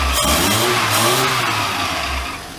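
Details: Classic Mini van, first start-up after restoration, running on an old coil and HT leads, fan belt needing adjustment: engine revs up and down smoothly a couple of times without stumbles or misfires; running healthy.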